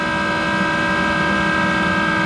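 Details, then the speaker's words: Monarch 10EE precision lathe, original drive, extremely worn; motor-generator set running with exciter on top, belt-driven: loud steady whirring hum with rough, gravelly undertone; worn motor-generator bearings very loud. "rt the motor generator and you can hear those parents are very loud"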